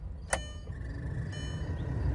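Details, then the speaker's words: Audi TT stored 8 years in a barn, key on: one sharp click, then a faint steady high whine over a low airy rumble as the cabin blower fan runs, blowing out debris; owner thinks the fan needs oil. "that's going to be annoying. We'll have to definitely put some oil on that fan. It's making noises."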